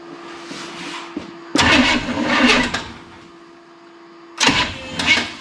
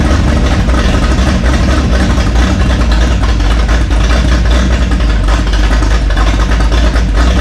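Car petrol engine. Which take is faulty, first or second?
first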